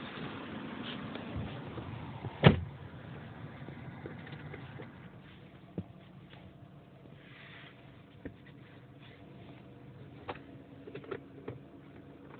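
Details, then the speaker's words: Inspira 2.0 / Lancer GT at idle, heard inside the cabin after replacing a broken engine mount: low soft hum with the odd faint tap, no droning; much quieter, smooth healthy idle. "Alright, very much more silent compared to previously."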